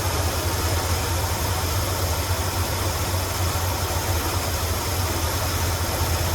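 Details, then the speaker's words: 1977 Ford F-250 Highboy carbureted V8 after carburetor idle tuning: low, even burble at a steady pace with no misses or hunting; solid normal idle. "Now it's kind of just a solid idle."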